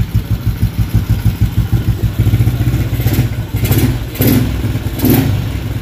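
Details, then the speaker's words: Motorcycle (LC135/Y15 up-spec build) with freshly fitted SCK back-pressure aftermarket exhaust, stock CDI, carburetor: deep choppy idle then sharp throttle blips rising and falling cleanly, loud bassy exhaust; normal revving with aftermarket exhaust. "Exhaust dia back pressure SCK. Dan inilah bunyi back pressure."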